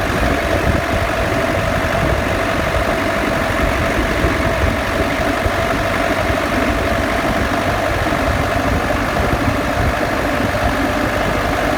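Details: Defender after a lift: a steady high whine over a rough grinding rumble with the engine turning slowly; a differential whine, rattle or grinding noise.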